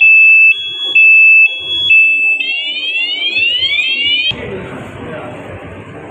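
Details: Motorcycle fitted with an ECO 9 anti-theft remote, locked so it cannot start: tampering trips the alarm, with loud high-pitched beeps about once a second, then a rapidly rising, repeating siren wail.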